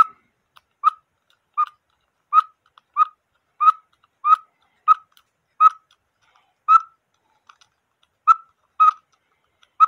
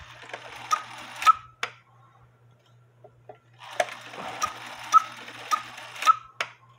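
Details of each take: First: Cuckoo clock, quail bellows with a homemade screw-on weight that proved too heavy: thin whistling pips with uneven gaps that stall then bunch up; quail struggles to play. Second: George cuckoo clock after the big washer weight was removed and the new bellows weight cut in half: two-note cuckoo call with soft clicks and steady ticking, cuckooing properly on the hour.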